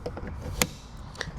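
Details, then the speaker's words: Fiat 500e that fails to charge (onboard charger suspected, later replaced), on plugging in: two crisp clicks half a second apart in quiet garage as contactors close normally and charging is attempted, though dash shows not charging. "And you can hear the contacttors close and it starts to try and charge."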